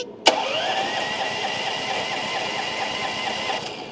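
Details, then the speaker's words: Starter whose Bendix drive was stuck and would not engage, after being hit with a hammer: a sharp click as the drive snaps in, then a steady high whir of the starter spinning freely; engagement is now normal. "All right, let's see if she engages now. There we go. Yep. Percussive maintenance, baby."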